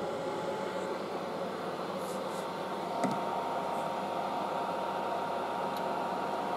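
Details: Late-1960s General Electric HD-8C bonnet hairdryer, bought second-hand and tested running: soft, steady airy hiss with a faint low hum, no rattles or speed wobble; very quiet, heat warm on hot, normal running.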